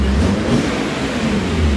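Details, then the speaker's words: BMW E39 M5 S62B50 V8, which had spun a rod bearing and damaged the crankshaft, running after rod bearing replacement: a deep, even rev with a smooth build and no knocking; sounds great, makes lots of power; healthy engine. "sounds great makes tons of power ask us how we know there you go"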